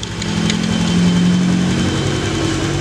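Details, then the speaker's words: Honda Beat FI scooter that had run poorly and stalled when throttled due to weak injector spray, now normal after the injector fix: a steady low putter with an even beat and no knocks or misses; it idles cleanly and takes throttle. "sekarang sudah normal kembali sudah bisa digas seper ini"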